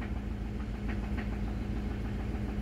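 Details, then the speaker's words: Ford 5.4L Triton V8 (11th-generation F-150) cold start on 5W-30 synthetic, warming at idle about 3.5 minutes in: low steady rumble with faint knock tapping through; owner suspects rod knock or low oil pressure once thermostat opens, unconfirmed. "but you can hear the knocking I don't know why but it's not as bad today but it just sounds bad"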